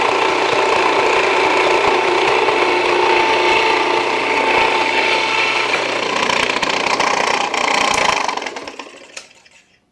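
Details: Jiffy Precision Mill, US-made electric steel burr grain grinder, grinding grain at a slightly backed-off setting; steady even grinding roar over low motor hum, no labouring or stalling, clean spin-down; mill warm but not hot after; normal grinding.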